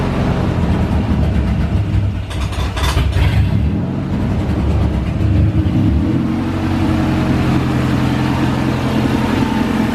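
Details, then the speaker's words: H22 engine after fixing an intake manifold vacuum leak: steady, even low rumble at idle with brief blip, -20 MAP, engine temp 160, intake air temp 58; idles smooth and healthy. "So we got the perfect idle at 9. -20 map. Engine temp 160. Intake air temperature 58. It's idling smooth."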